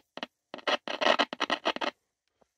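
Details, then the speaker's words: 1961 Dansette 222 transistor radio on a 9 V supply drawing about 10–11 mA, at switch-on. Irregular scratchy crackles in short rapid bursts, then nearly silent. Audio chain and speaker work; volume control found totally broken. "it sounds like the audio chain is working CU we get scratchy noise when we power it up so the speaker is working"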